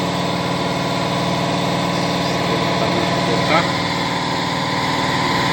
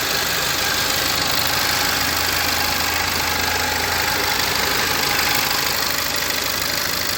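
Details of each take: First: 2013 VW Fusca TSI: steady idle with a fast, uneven ticking rattle of about four per second. The new timing-chain kit didn't cure it; the intake cam phaser had excessive play even when filled with oil. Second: 2013 VW Fusca TSI after new original VW timing chain kit fitted (tensioner had been on fifth tooth), idling steady and even with light regular valvetrain tick, no knock or rattle; noise had persisted from excessive play in intake cam variator; normal idle.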